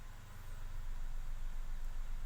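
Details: Nissan Almera with code P0302 (cylinder 2 misfire), after fitting a new ignition coil: steady, even low idle hum with no stumble, idle speed dropping. Normal idle.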